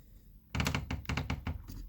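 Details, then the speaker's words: Kyocera P3145dn laser printer, which crackles, runs loudly and jams paper near the photodrum. With the cover closed and the drum drive engaged, the motor turns and the drive gear stays put, giving bursts of sharp cracking knocks from a stripped drive gear (Z128R 302L231040). "Вот, пожалуйста, что-то произошло с шестерёнками. Происходит треск. Если увеличить, то прямо видно, что шестерня стоит на месте и трещит."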